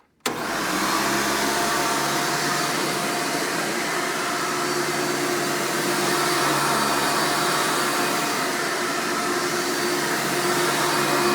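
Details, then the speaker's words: 1999 Hoover Futura Elite U5098-930 upright vacuum, power switch rod replaced after shipping damage: a loud, steady, high-pitched motor whine that holds even with no catches or rattles. Typical Elite loudness; the motor runs normally. "i would like to point out this thing is pretty loud when it's running but that's the nature of these vacuums they're just naturally loud"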